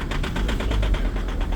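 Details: 2.0 HDi diesel, extreme cold start at -13°C after standing all day, after three 20-second glow-plug preheats: rough, heavy idle with a steady, rapid, very strong knocking clatter and much pungent diesel smoke.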